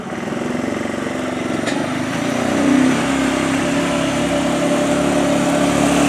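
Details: 2007 Arctic Cat 400 ATV after carburetor cleaning and spark plug replacement: single-cylinder idles evenly with a steady, regular beat and a slight lift in revs, no misfires; normal idle, back in business.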